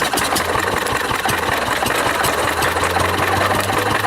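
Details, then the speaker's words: 1940s Wolseley single-cylinder stationary engine driving an old cement mixer by flat belt, first run in over four years: busy, uneven clatter at a high steady pace with no load change; engine running too fast, needs slowing down. "that's running a bit fast oh shut her down a little bit"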